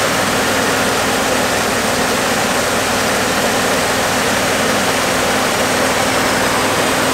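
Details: 1969 Fargo 500 dump truck, long-stored V8 running after gas poured into the two-barrel carb: loud, steady, hissy roar that keeps going without dying; smoking pretty badly, slight exhaust manifold oil leak.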